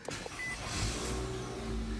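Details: 2017 Nissan Altima 2.5 SV with CVT, push-button start: brief starter whirr, then engine settles into a quiet, smooth, even idle with no knocks or rattles; healthy start.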